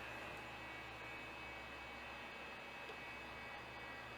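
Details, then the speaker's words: Large old Quantum hard drive, shipped in a plastic bag, powered up: loud steady whir with high whine and low hum, vibrating heavily; controller green light on but drive not recognized, cause unknown. "damn this this thing vibrates so much this is ridiculous"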